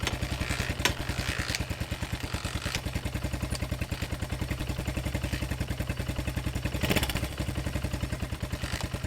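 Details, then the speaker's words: Small XR motorcycle single-cylinder, first start in years after its thrown timing chain damaged the gears and valves: it runs with a light, quick tick on each beat from the head; owner wonders about chain tensioner adjustment; top-end ticking. "Interesting. It runs, but something doesn't sound right. Sounds like there's something going on in the head."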